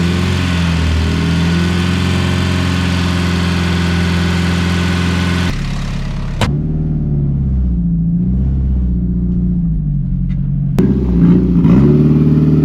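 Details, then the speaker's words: Turbo Honda S2000 driving before rear differential replacement: loud low drone rising and falling with road speed, with a couple of sharp clunks; failing rear differential. "good driveway here oh listen to that thing that thing is making so much noise i'll rip my freaking tires freaking mud everywhere oh listen to that diff"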